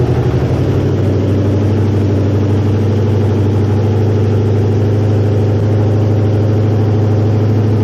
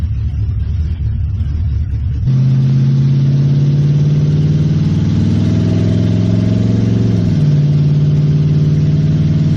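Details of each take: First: 1969 Mustang with swapped-in V8, first start, electric choke not yet hooked up, oil burning off top of engine: fires quickly, settles into loud steady even idle, no smoke, plenty of compression; normal idle. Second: 1969 Mustang V8, just refilled with antifreeze after cooling work: steady low drone that wavers and dips, running fairly decent then rough; cause unknown, timing possibly suspected.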